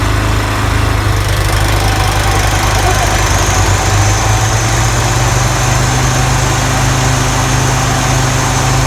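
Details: Toro TimeMaster 30in mower after replacing the spindle lower ball bearings and setting deck belt tension: engine runs loud but steady and even, no grinding, rattling or rubbing from the deck; earlier rubbing noise and slow blade engagement repaired, normal running.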